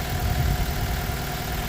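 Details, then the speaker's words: 2009 Mitsubishi Colt 1.3 petrol with a bad cylinder 4 ignition coil: cylinder 1 connector unplugged as well, so the low, lumpy idle lopes and shakes worse than running on three cylinders. "I'm going to remove now the connection from the cylinder number one and this you're going to hear now the engine is getting worse."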